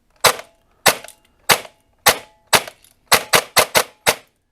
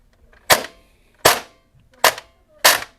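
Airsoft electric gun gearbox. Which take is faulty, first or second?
second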